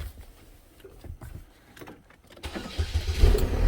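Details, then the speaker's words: Chevy Malibu, about 2008–2010, with 200,000 miles, after replacing a snapped oil pressure sending unit. A brief crank fires straight away with a little initial clatter, then builds into a strong, even run; a normal start. "we go it was a little clattering all right Scott 200 000 miles on it"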